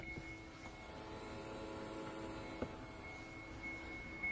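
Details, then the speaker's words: 2013 Kia Cerato YD 1.8 automatic with a no-start complaint: faint steady high hum of the electric fuel pump running normally when powered directly from a jump starter; pump works, so the suspected fault is its relay/computer signal. "okay so I've connected it up and you might be able to hear the fuel pump and he'll working"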